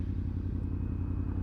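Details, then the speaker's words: Yamaha R1 after replacing all four ignition coils, coolant and oil topped up: deep, even pulsing idle with no misses, steady at 1300–1500 rpm even at 92 degrees; throttle response slightly better, normal idle. "she's iding at a consistent 13 to 1500 RPM even at 92 de the throtle response is a bit better"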